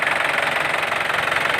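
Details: Isuzu Panther LS 2008 diesel; steady, even clatter at idle with a regular beat and no missing or uneven knocks; normal healthy idle.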